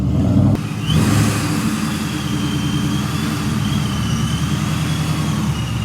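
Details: 1999–04 Mustang GT just fitted with a Vortech V2 supercharger and 4-inch intercooler, heard from outside pulling away: deep, even engine note with a faint steady blower whine; runs healthy after an earlier loud fluttering noise was fixed.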